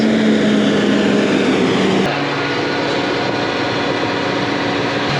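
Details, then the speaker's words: John Deere 8320R tractor, engine derated at roadside, running a parked exhaust filter cleaning: diesel speeds up to steady raised idle with constant hum and slight pitch step, heating the filter to clean it; a fault code appeared, cleaning resumed, 88%. "You can hear the engine start speeding up. This is the filter right here. That's the filter in the exhaust. What it's doing is it's going to heat that thing up to a really high temperature and supposedly clean it."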